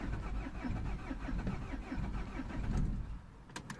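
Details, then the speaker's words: 2003 Peugeot 307 2.0 HDi diesel, a non-runner whose lost transponder was replaced: after programming the new key, the starter cranks at a steady chug of about four to five compressions a second for an extended time without catching, then cuts off. "try this war I didn't know for how long one no either there we go engine running right job done"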